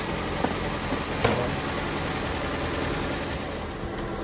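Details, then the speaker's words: 2007 Jeep Compass 2.4L after replacing a loud-cranking starter: steady even idle with no grinding or whirring from the starter after startup; engine runs smoothly, starter was the problem. "Started. Everything is right. This was the problem of the car."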